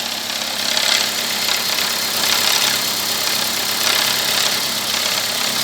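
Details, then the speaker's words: Toyota Corolla with light busy clatter from the top of the engine at idle; cause found to be engine oil level far too low, valvetrain noise; valvetrain noise from low oil level. "Barulho nessa parte superior do motor. O diagnóstico aqui foi bem simples."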